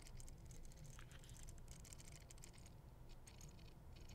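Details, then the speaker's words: Fantasy 2 RC drift car, powered on and sitting still: quiet, uneven buzzing chatter with faint ticks as the servo hunts around center; servo chatter, cause unclear. "listen to that so servos chattering"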